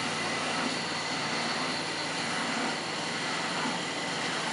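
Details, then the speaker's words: 1986 Hotpoint Supermatic Plus 9400 twin tub after new spinner-to-motor belt, loaded with damp items: steady even whirring rush rising quickly to 3,100 RPM, no slipping or squeal, pump still running; spinner runs up cleanly. "oh yes just pick to speed up quickly oh fantastic oh yes 3,100 RPM listen to that still pumping out"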